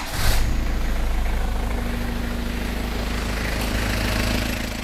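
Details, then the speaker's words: Original Isuzu Panther diesel at idle with a loose, not-yet-replaced fan belt: steady low clatter with an even beat and no knocks or squeals; the engine sounds fine and shows no blow-by; normal idle. "nah di bagian mesinnya seperti ini ya teman-teman suaranya masih cukup oke"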